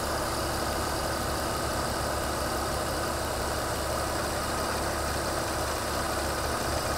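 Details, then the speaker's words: 2002 BMW 330 with lean codes, idling: hose being wiggled makes both banks' short-term fuel trims climb high; even idle with a faint constant hiss: vacuum leak through an intake vacuum hose. "way way up there I can also hear a hiss when I do that"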